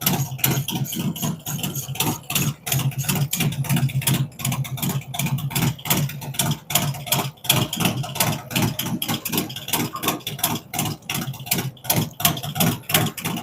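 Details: V-twin on first fire-up after Zipper's 468 cam, adjustable pushrods, aluminum intake, 5.3 injectors, existing headers and ThunderMax; steady loping uneven-beat thumps, no knocks or ticks; normal idle.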